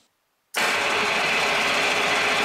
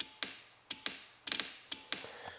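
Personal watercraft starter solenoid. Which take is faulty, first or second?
second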